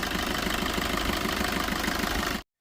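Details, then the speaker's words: 2016 Maruti Swift Dzire VDI diesel, 77,200 km odometer, very black engine oil, at idle: even clatter with a regular ticking rhythm, no knocks, misses or hunting; engine sounds smooth and healthy. "సరే , మీరు చూస్తున్నట్లుగా, engine శబ్దం చాలా మృదువుగా ఉంది మరియు ఎటువంటి అసాధారణ శబ్దాలు లేదా"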